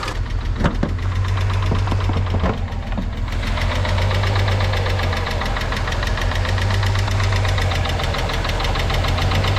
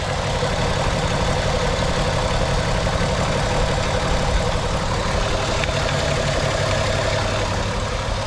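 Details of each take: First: VW Beetle VR6 at idle, few hundred miles after long storage, new timing chains: fast, light ticking over steady hum, owner suspects lifter or valvetrain; before engine flush and hydraulic lifter additive. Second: VR6 Volkswagen Beetle idling smoothly after Liqui Moly engine flush and hydraulic lifter additive; earlier lifter tick completely gone, no dash lights.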